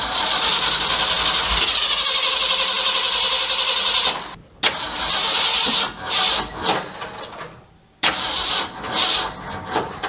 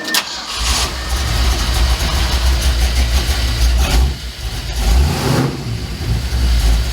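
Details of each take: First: 1967 Mercury F-250 drag truck V8, plug wires moved one over: starter cranks, engine catches and stumbles unevenly, dies and is cranked again; ignition timing well off. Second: 1967 Mercury F-250 3/4-ton drag truck, vacuum advance disconnected, timing about 9 degrees (1 degree over): cranks, catches at once and settles into a steady deep burble with a brief blip, idling smoothly; runs good.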